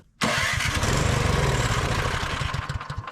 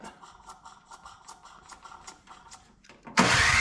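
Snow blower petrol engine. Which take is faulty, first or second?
second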